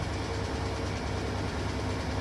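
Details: Servis Gem 600 washing machine on spin after a door handle repair: steady low rumble and hum of the drum at speed, loud like a jet, heavy shaking but no knocks or grinding, normal spin cycle.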